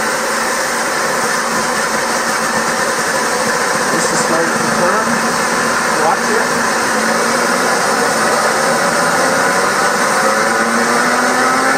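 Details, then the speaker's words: Purcell Mountain Lodge hydro Pelton turbine generator restart after low-power check (suspected nozzle ice, debris, dirt or air); valve being opened, water running through deflector; steady rush with faint tone slowly rising as runner picks up speed; normal start-up. "So I'm opening it. You will hear water running now because it's going through the deflector as I open the valve."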